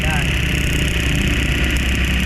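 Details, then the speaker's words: Suzuki APV with low power and heavy vibration, idling: deep uneven rumble from a misfire; the ignition coil, which fires two spark plugs, leaks spark out its side, a strong ignition coil misfire. "sobrang lakas po ng mis fire ng kanyang ignition coil Ayan kaya Mayon siyang low power at saka vibration ito ang problema sa kanya mga boss"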